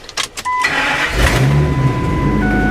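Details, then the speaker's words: 2003 Ford F250 V10 after repairing a ground voltage drop that caused a no-start: brief chime, short crank, catches cleanly and settles into an even idle; starts normally. "it's laughs but it starts that ground was the only problem got that all fixed up and it should be good to go"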